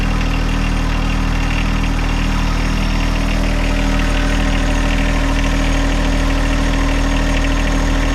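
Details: John Deere 1025R subcompact tractor diesel idling after 200-hour service with new fuel filters and primed fuel system; steady even idle, low rumble, no knocks or misses; normal idle.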